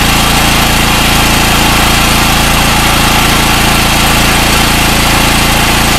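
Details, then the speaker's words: Gasoline generator after PRI-G fuel treatment and refitting a halfway-fouled original spark plug with anti-seize: steady, even buzz at constant pitch with no surging; normal running. "well no surging how's that plug was halfway fouled up"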